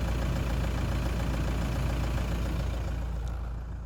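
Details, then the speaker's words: Toyota Land Cruiser Prado 120 with 1KD-FTV 3.0 L diesel: steady, even idle with a low, smooth beat. The post-cold-start whistle is gone after the leaking exhaust gasket was replaced and its bolts torqued to 43 Nm. Normal idle. "after a brief cleaning I positioned the new gasket in place and torqued the bolts to 43 Newton M according to the service manual and the whistle is [Music] gone"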